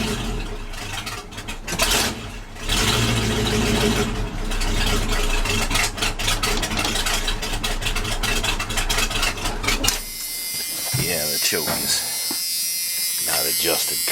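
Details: K30 fire truck with a new jetted carburetor and mufflers cut off: loud, uneven open-pipe idle that sputters and surges after starting, with the mixture off because the choke is set wrong.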